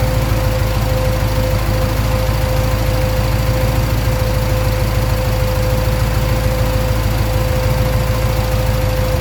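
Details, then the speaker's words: 1965 Pontiac Parisienne with a rebuilt 283 Chev V8, Turbo 350 and Holley Sniper EFI, after topping up transmission fluid: idle slowly rises and falls in a hunting surge; owner suspects the Sniper parameters, which report the air-fuel (O2) sensor not connected. "success uh it's running not too bad it's it's surge idling a bit we have to look at that"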